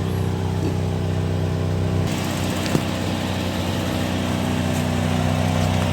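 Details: Toyota Kijang LGX EFI idling, heard at the tailpipe: coarse throaty burble instead of a clean hum; exhaust leak from a rusted-through or holed muffler with pores left after welding.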